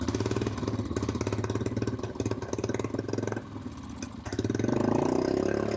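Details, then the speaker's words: Honda TRX350 ATV single-cylinder after carburetor cleaning and diaphragm check revs up, sags, picks up again without climbing cleanly; losing power at high RPM, cause unknown. "I don't know why it's losing power at high RPM."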